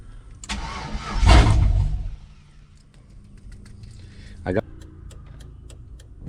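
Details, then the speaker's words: Chevrolet Silverado after an ignition switch replacement, dash lights and check engine light on: starter cranks about a second and a half and never catches; crank, no start, fuel pump not running. "But now we have a no start. It cranks but it does not start."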